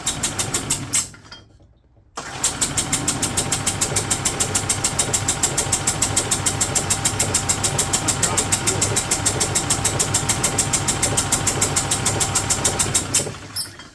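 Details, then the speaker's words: 2008 Yamaha Drive G29 gas golf cart, fed from a small external gas container, neutral, key on: steady cranking about three turns a second for ten seconds, no firing; fuel pump pumping air, not drawing fuel, needs priming. "It is not drawing fuel yet. Let me fiddle with it. Gonna prime it. We're gonna prime it. So that pump is trying to pump air, it's not getting no fuel."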